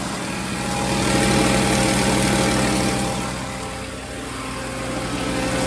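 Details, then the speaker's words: 2009 VW Rabbit 2.5 five-cylinder 07K, manual, leaking oil from the vacuum pump: idles with a steady low drone under a ragged, uneven clatter; abnormal running noise, cause unclear, so it was shut off. "Anything obvious? It doesn't sound good. I'm gonna shut it off."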